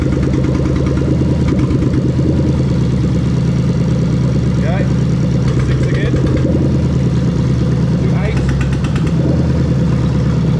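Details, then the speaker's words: Lexus GS430 3UZ-FE VVT-i V8 swapped into 2002–2005 IS300 with R154 manual, new plug-and-play harness: idle turns lumpy and uneven as injectors are unplugged one at a time, confirming each cylinder fires. "i'm going to unplug one at a time and we're going to see the engine misfire as i plug unplug each one that's going to let us know that all the cylinders are firing"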